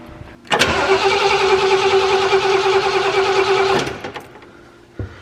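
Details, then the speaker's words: Camper engine after sitting about two months, on a 12 V jump start: starter spins evenly for about three seconds but it never fires; owner thinks it needs starting fluid; crank no start. "probably gonna need a little starting fluid a couple more pumps yeah i'm gonna grab some starting fluid"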